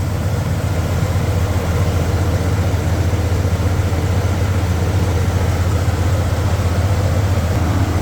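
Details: 1993 Dodge D150 truck, first start since April after mice got in, with the alternator confirmed charging. Steady low rumble at idle with an even beat and no knocks or misses; normal idle.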